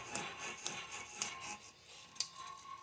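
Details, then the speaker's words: 2014 Chrysler Town & Country front wheel bearing, grinding rising with speed around 45–50 mph; turned slowly by hand, dry gritty rasping pulses about once a second; loud worn front wheel bearing before replacement. "You can hear that bearing. It's pretty loud."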